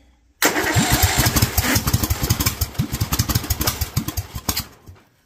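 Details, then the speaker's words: Kohler single-cylinder engine with Honda-style carburetor, jetting kit being tested, revved to upper 2000+ rpm: fires and revs with lumpy, uneven, stumbling beats that never clean out, pitch-black smoke. Running far too rich; kit jetting was too much. "well that pitch black smoke tells me that she is running way too rich so meth level kit was too much"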